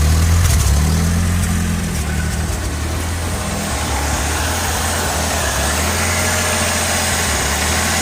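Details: 1986 Ford Ranger 2.3L idling: low, lumpy idle with uneven beat and occasional stumbles; rough idle. Owner has had ongoing misfires despite changing many parts, later thinks it's only slightly misfiring; cause unknown.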